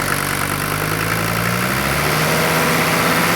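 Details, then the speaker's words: Non-turbo diesel from a 1980 Mercedes 300D, an estimated 90,000 miles since rebuild: smooth, even idle with soft steady rumble and no injector clatter; quiet, healthy engine. "Listen how quiet, hard, no injector noise. Now that's how a diesel engine should sound."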